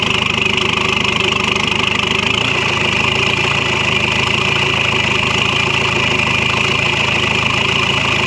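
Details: LX665 engine idling with the exhaust removed during exhaust repair: loud, raw, rasping, unmuffled idle with a steady rhythm.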